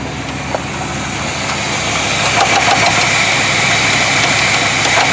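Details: 1973 Chevrolet C10 350 V8 idling with a steady ticking knock about three beats a second; pulling plug wires one by one didn't change it, so rod or wrist pin unconfirmed; source unclear.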